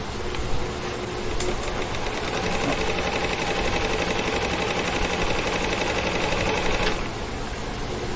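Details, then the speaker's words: Toyota MH7600 MS3-2D-L sewing machine, test run after power switch replacement and reassembly: the motor ramps up gently (slow-start function), then holds a steady, even whir with no knocking or grinding, running properly. "Có vẻ như nó có chức năng khởi động chậm Được rồi! Điều đó không tệ"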